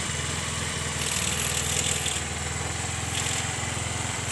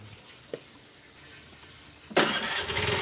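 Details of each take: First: Honda Vario Techno carburetted scooter after cleaning the oil-flooded carburettor and refilling oil to the correct level, still cold: steady idle with throttle blips, running normally again; faint ticking still to check, exhaust smoke expected to clear once warm. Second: Honda Vario Techno carburetted scooter, engine overfilled with oil that rose into the carburettor and kept the new spark plug wet: starter whirrs but the engine never catches; ignition is normal.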